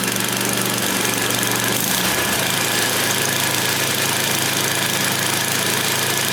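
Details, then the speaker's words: Yard Machines snowblower, Tecumseh 8 hp, cold start outdoors around 20-something degrees, full choke and about nine primes after sitting a week: steady low drone at even speed under heavy wind hiss, no misses; running smoothly while still cold. "up oh that's beautiful that's beautiful get out of here it's freezing out and windy"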